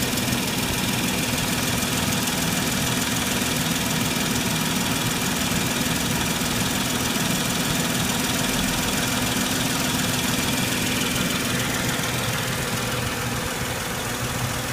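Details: Mercedes W163 ML 350 at idle: a loose, uneven clacking rides steadily over the engine; source of the tick unknown.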